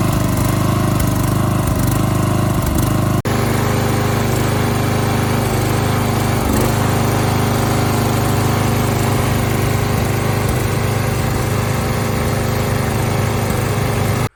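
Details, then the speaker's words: 1980s Deutz-Allis lawn tractor, revived with carb cleaner and long cranking, carburetor still needing adjustment: small engine runs steadily at constant speed with an even low chug, no knocking or surging; runs pretty good. "guys you can see we got it running it's pretty easy just had to put some carb cleaner in it uh crank it over a bunch so it really no big deal to get it running so he was right it it ran pretty good"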